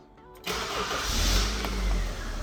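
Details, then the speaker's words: MK1 Honda CR-V that had no spark, after new distributor cap and rotor arm and resetting the inertia switch: short crank, then catches cleanly into a steady, even idle; normal start. "she's alive with the new distributor cap and roar arm which it needed anyway just like most hondas it's like a sewing machine"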